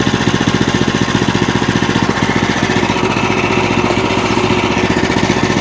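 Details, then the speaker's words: Small single-cylinder engine on a bandsaw wood mill, bought as a non-runner, thumps steadily at a fast idle of about 220 beats a minute after carb work, no misses or knocks; normal running. "wrong by it it starts running oh they turn their clothes on there we go"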